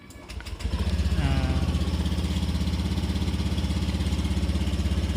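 Engine cranks briefly, catches and settles into a steady even putter around three beats a second; clean start and smooth idle.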